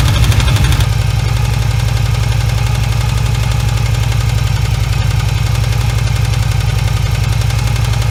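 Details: 1981 Yamaha XV750 Virago at steady idle, quick tapping about four per second over deep thump; owner hears valve-like tapping on rear cylinder once warmed up, suspecting missing head gasket or valve spring; cause unconfirmed.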